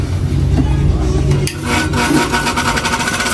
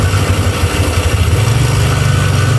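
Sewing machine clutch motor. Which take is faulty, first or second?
first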